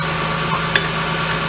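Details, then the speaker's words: 2000 Ford Windstar 3.8 after replacing pinholed water bypass tube under the plenum with new gaskets and isolator bolts, first start: steady even idle hum, smooth low drone, no hiss or sucking; running smooth. "yeah it's running smooth"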